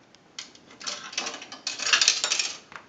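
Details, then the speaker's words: Repaired and converted single slot payphone on final checkout: quarter then dime inserted, bright metallic clatter for about two seconds running cleanly into the change return, as set up; normal coin drop. "Now, we also set this unit up to where when we put change in the unit, it will go directly down into the change return. Now, we're going to go ahead and put a quarter in. We'll do a dime."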